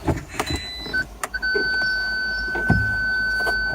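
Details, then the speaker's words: Car with ignition on and reverse selected: after a few clicks a steady high-pitched tone holds without pulsing, the continuous tone meaning the parking aid is not working, before testing individual sensors. "you can see we get a continuous tone meaning that the parking Aid is not working"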